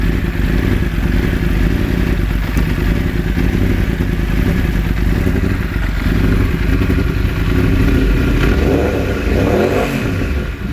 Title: 2016 r1 misfire when mode changes